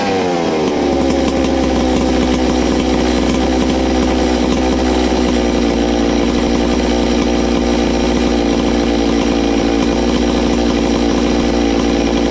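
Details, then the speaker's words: Ported Farmertec MS660 two-stroke chainsaw, 22 degrees blowdown, extra muffler cover port added, tuned with tach: piercing scream climbs fast, holds flat out even and clean, much louder, over 15 thousand rpm. "wow it's got a lot louder hopefully we've done something wow"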